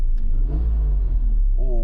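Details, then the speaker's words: Alfa Romeo 75 3.0 V6 Veloce after exhaust holes were repaired, newly MOT'd after 7-8 years off the road: short deep rev with a smooth rasp, no puffing or ticking; exhaust sealed and healthy. "raspy V6 engine."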